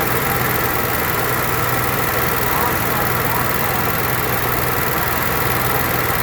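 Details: Onan Marquis Gold 5500 generator after carburetor disassembly and cleaning, mixture screw set about three turns off the seat instead of two; steady, even drone with constant low hum and no rise and fall; running smoothly, surging fixed.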